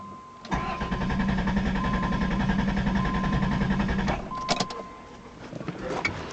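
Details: 1990 Chrysler Town & Country: steady rhythmic cranking about three and a half beats a second that never catches, fuel pump cycling; stalls and loses spark, fuel system fine; salvage 1989 Caravan PCM suspected, new PCM planned.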